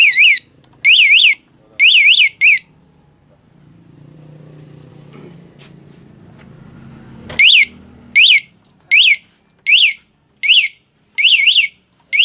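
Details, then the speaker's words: Honda Beat FI ESF 2019 with newly installed remote alarm wired to pulser, armed and bike rocked: loud warbling siren chirps in short repeated bursts, pause with handling, then bursts again. Alarm sounding normally. "Oke. Coba goyang motorku. Goyang, goyang."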